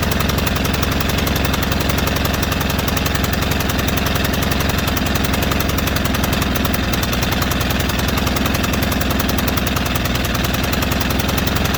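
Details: White Outdoor LT542G riding mower twin, previously running rough, drinking gas and dumping fuel into oil, with a binding throttle cable/linkage and missing clip: uneven, choppy beat about 220 pulses a minute, surging, not changing from slow to fast; lumpy, unresponsive running.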